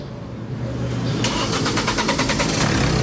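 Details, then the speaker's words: 2014 Hyundai Santa Fe push-start after no-crank/no-start repair (lost ECU communication fixed, check engine light still on): short crank, fires cleanly and settles into a steady even run, no misses or knocks; healthy start. "Ayan, umaandar na po. RPM RPM allr Okay. Good job ano."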